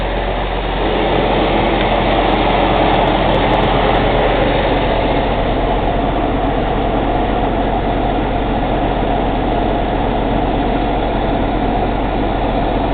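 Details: Cummins ISX CM2250 diesel idling during DPF regen: loud, quick, rhythmic chuffing from the intake, about four puffs a second, with no mechanical engine noise; owner suspects turbo chuff during regeneration.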